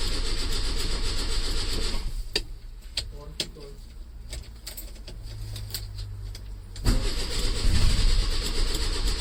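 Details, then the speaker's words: 1968 Lancia Fulvia, off the road a long time, first start attempt with the clutch in and a jump pack: repeated low, uneven cranking for several seconds before it catches and runs rough at a very high idle. "take a bit of load off the engine and the clutch in you come to the throttle not looking good right I've enlisted the help of a jump pack let's give it another go come on little Fulvia"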